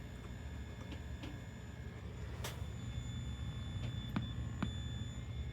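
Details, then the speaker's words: Late-1980s Mitsubishi HS-337UR VHS VCR in playback: low steady hum under a thin, constant high-pitched squeal with a few clicks; tracking responds, so head suspected fine and audio circuitry suspected, not confirmed. "so here we are with the Mitsubishi that's not working you can hear a squeal and hum as it's playing actually there's a bit of a change"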